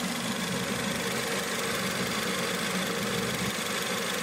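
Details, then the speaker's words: Ford Fiesta ST after coolant tank replacement, warming up with heater on full, temperature gauge at 4 bars, no leaks: steady even rush of air from the radiator cooling fan over a smooth idle, no knocks or surging. "So yeah, that's the That's the fan. You can hear the fan working."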